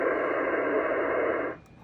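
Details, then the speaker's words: HF receiver at 14.277 MHz: loud steady hiss/tone cuts off after about 1.5 seconds leaving a quiet band; the RFI source, a remote-control LED pool lighting controller, has been switched off. "You can see from the waterfall the noise is gone after we turned off that remote control LED lighting controller. Volume's back up. The tone is completely gone."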